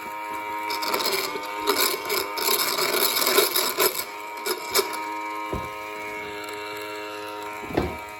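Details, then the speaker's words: Chinese-made mini washing machine that would not run, motor fed about 4 V from a charger for testing: rough buzzing hum with irregular clattering bursts, motor struggling; technician says the winding is burnt, evident without opening the motor. "Buni ichini ochishga hojat yo'q, shunday ham bilinib turibdi. Qati ketgan, qati kuygan."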